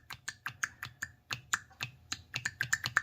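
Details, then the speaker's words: N55 3.0 inline-six BMW with misfires, rough idle and stalling: VANOS solenoid removed and bench-tested on 12 volts gives crisp metallic clicks each time power is applied; solenoid works normally. "that's what we want that one's good and the other one perfect that one's good as well"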